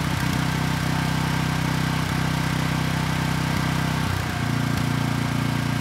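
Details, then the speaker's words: Briggs & Stratton Vanguard commercial-grade single-cylinder engine replacing a thrown-rod engine on a generator, after counterbalance repair: starts right up, idles smooth and even with steady firing and no knock; normal running. "all right not too bad it started right up and the engine sounds good"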